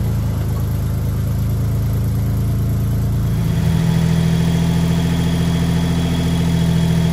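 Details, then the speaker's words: 1974 Datsun 260Z twin-carburetor engine, just started and warming up: low, uneven idle hum that shifts pitch partway through and never settles; it runs poorly and the twin carbs need tuning. "it can run but it's not very good at it we're gonna we're definitely gonna have to work at that"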